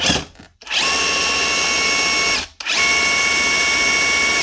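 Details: Dewalt DCH273 cordless SDS drill after chuck repair with used DCH253 parts, fitted with an oversized 24mm SDS masonry bit: two clean spin-ups to a steady high whine, about two seconds each, no grinding or rattle.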